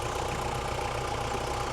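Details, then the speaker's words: 1972 Bedford J series petrol truck, long unused: uneven, lumpy running with a dull knock, probably firing on only three cylinders; owner suspects low compression on a couple of cylinders or a leaking vacuum booster diaphragm. "Uh, it did run, but only on probably three cylinders. And it's got a it's got a decent knock when it when it does start."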